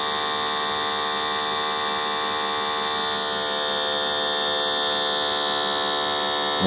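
A steady, even electric hum with a buzzy high edge and no knocks or surging: the small vacuum pump is running normally.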